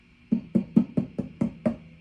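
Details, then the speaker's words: 1965 Fender Deluxe Reverb amp, fully warmed up with controls on 10; tapping the 12AX7 in the V2 position gives sharp hollow knocks through the speaker, seven in under two seconds, a microphonic preamp tube. "all right you could hear that micronic 12 ax7 on a V2 position"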